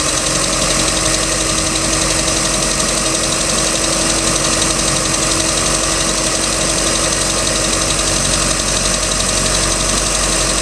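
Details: Ticking noise on a 3.0L MerCruiser boat engine, started at beginning of season, second owner; light regular tick about four times a second over a steady idle, cause unknown.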